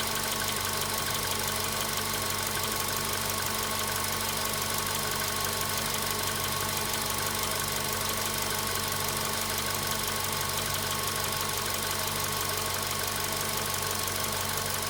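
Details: VW Polo Sedan at 93,000 km, cold-start idle: a loose, somewhat uneven tapping about three times a second over the engine hum; a knock from inside whose source is not yet pinned down.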